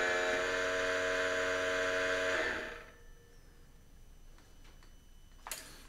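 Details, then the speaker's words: Yamaha Super Tenere ABS pump run during the brake-bleed cycle procedure (jumper fitted, both brakes held, start button held 4 seconds): loud steady motor buzz and whine for about 2.5 seconds, then stops, felt at lever and pedal; normal ABS service cycle. "So you could hear it's pretty noisy, and you can actually feel the pump engaging kind of under your fingers and under your foot."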